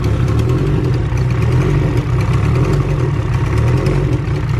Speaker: put your finger right here [Music] feel it yep your egr ports open that clicking sound this new manifold must not have a block for it